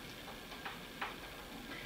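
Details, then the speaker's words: Volkswagen transmission pinion shaft assembly on the bench: two faint light clicks as the gear is rocked by hand, showing slight gear side play on the shaft, which the snap ring is meant to control. "now listen can you hear that over there there's a little a little side plan in that one and I got a little side plan this one and that is the job of the snap ring"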